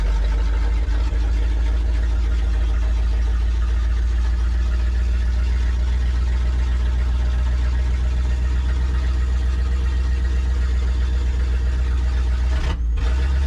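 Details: Abandoned 1963 Loadstar truck V8, after carburetor work: deep, steady low rumble with an even idle beat, no misses or knocking; running smoothly.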